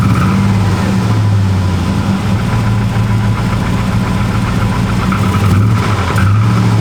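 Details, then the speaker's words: Chevy Avalanche V8 bought non-running, with clogged cats, burned wiring and old possibly varnished fuel, started on almost no gas: low idle rumbles unevenly, the beat wavering and sagging as if about to stall. Rough idle, cause unconfirmed. "almost no gas it's okay let's just start it right up man see doesn't sound great though"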